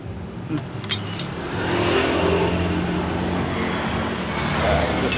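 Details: Yamaha Jupiter MX motorcycle engine after repair of a rough, grinding knock; starts and revs with even smooth note over street noise, no knocking or rattle; normal engine running.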